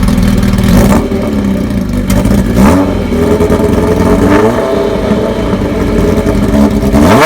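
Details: 1985 Kawasaki ZN1100 LTD, KZ1000J carbs, no-baffle exhaust, new oil, filter, plugs: loud open-pipe revs blipped up and down several times, climbing and falling cleanly, no knocks or rattles; motor sounds internally good.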